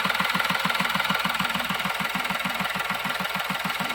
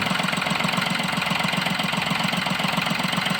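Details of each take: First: Diesel with an intermittent no-start/stalling fault (codes P0087, P0251), after repair: even clatter at about 200 beats a minute, steady with no stumble or dying; stable idle, previous stall within 5–10 seconds gone. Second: Diesel with an intermittent no-start and stalling while driving (codes P0087, P0251): even idle at two to three pulses a second as switch voltage drops from 4.12 to 3.85 V; root cause was a clogged fuel filter starving fuel.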